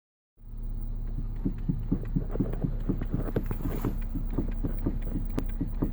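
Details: 2014 Nissan Qashqai J11: uneven light knocks, about two a second, over a steady low idle hum; steering rack knock suspected, not confirmed.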